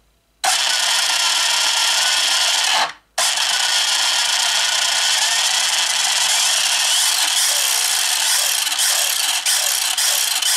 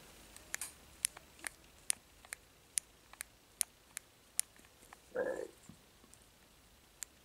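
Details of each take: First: 1/8 scale Hennessey Venom GT RC car with a new brushless motor, bench-tested on a table: a clean high-pitched electric whine rising and falling smoothly with throttle, no grinding or rattle; normal running. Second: Burned-out 4-pole 7200 kV 2430 brushless motor from a 1/8 Hennessey Venom GT RC car, shaft turned slowly by hand: faint crisp ticks about every half second with one rougher catch; motor has seized.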